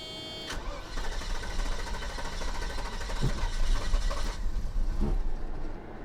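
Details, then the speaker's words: 1990 Mercedes 560SEC after new spark plugs fitted: cranks and catches, then runs lumpy and uneven with sharp pops; misfiring and backfiring because two spark plug wires were switched out of order. "Okay, the backfire and everything is because the ignition wires, the spark plug wires, were out of order."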